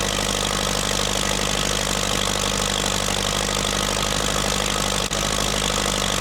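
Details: Massey Ferguson TEA20 1950s tractor, test run after fuel tank sealing repair and new wiring loom: steady, regular idle holding constant speed with one brief dip, no knocking or misfire; normal idle.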